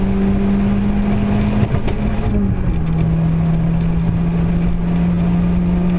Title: Clio Misfire